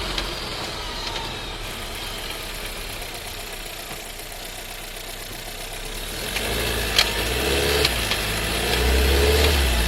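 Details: New Skoda Scala 1.5 TSI with dry-clutch DSG, about 3,500 on the odometer: quiet idle, then pulling away from a stop gives a loud, sharp gearbox clunk as it shifts; car also rattles and vibrates.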